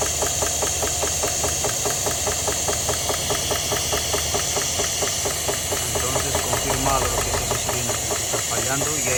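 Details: 2022 Chevrolet Suburban, running with valve cover off; cylinder 7 rocker not moving, sharp even ticking about two to three per second, cause later found as a collapsed lifter with a bent pushrod on cylinder 7, causing misfire.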